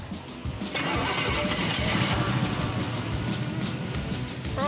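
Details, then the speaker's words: 1977 Firebird/Trans Am V8 with a fading fuel pump, cheap electric pump added inline; the Quadrajet inlet filter or needle and seat is suspected of being plugged. Lumpy, stumbling beat after a mile: rough running from a fuel delivery fault. "Runs like a kitten with three legs. [Music] Hey, we made it a mile. Having different fuel delivery issues."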